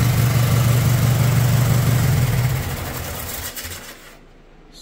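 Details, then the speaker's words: Old Lawn Chief tractor with snow blower attachment, long-sat estate-sale machine, first start: steady low thrum with even firing and no knocks, then it winds down and stops; runs. "sweet so we got a runner"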